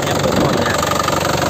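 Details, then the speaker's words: 2012 Isuzu Panther LS turbo manual diesel, about 70,000 km, factory-original sealed injection pump, fuel filter replaced a week ago; even steady idle clatter with solid round beat, no misses or odd knocks; healthy factory-standard idle. "Jadi standar pabrik kayak gini suaranya, masih kempel gitu ya, masih bulat suaranya, masih kempel dan masih bulat, enak gitu ya."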